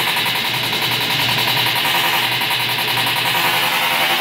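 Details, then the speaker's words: Stackable washer-dryer combo making a horrible racket on spin: harsh rapid banging three to four times a second, tub thrashing; broken tub support, fixed by welding in a quarter-inch steel plate. "it sounds like a thrashing machine so I got a dig into it and see if I can't find the cause of the noise and see if I can't fix it"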